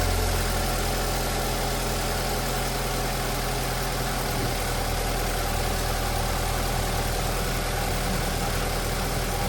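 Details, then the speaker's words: Cold start on a post-accident BMW 528i with the engine completely cold: it idles evenly with a steady low drone and no knocks, ticks or rattles. The owner had worried about the chain or bearings, but the cold start is healthy. "And this is cold start. Engine is completely cold. And it sounds completely good. No noises. I don't hear any strange noise."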